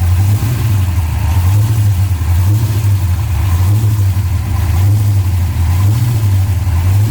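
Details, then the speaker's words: Restored 1966 Dodge Coronet, 440 block with Hemi heads built to 572: loud, deep, lumpy steady idle with lazy rev swells. Firing even and strong; sounds healthy. "We're gonna go ahead and fire this up, let you hear it run."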